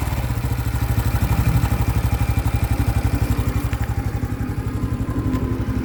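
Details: New 2025 Honda Biz engine shows a new noise after being accelerated to under 70 km/h: steady, quick metallic clatter about four taps a second over the idle; internal engine noise, cause not yet known.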